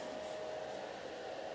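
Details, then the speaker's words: DIY thermistor fan speed controller cooling an IMAX B6 charger discharging at 1.5 A, inlet covered: small fan's airy whir rises as it speeds up with increasing temperature; normal temperature-controlled operation. "the temperature goes up and you hear the fan is going faster and faster because the thermistor it's sensing that the temperature is going up and puts more current to the farm"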